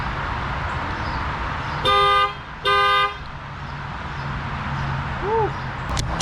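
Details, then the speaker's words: 2006 Lexus IS 250 that sat in a parking lot for about a year, on connecting the new battery: two long horn blasts about a second apart as the security alarm triggers when power returns. "Freaked me out, but as soon as I connected the battery, the alarm went off."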